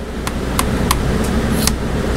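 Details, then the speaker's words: Old Honda ATV carburetor at quiet idle, throttle snapped fully open and released: sharp metallic clicks about five in two seconds as the slide hits its top and bottom stops; normal throttle slide travel, no runaway. "if you pull the throttle all the way up you can hear it hit at the top ready all the way top you can hear that slide hit and then when you let off you can hear that slide hit the bottom of the carburetor"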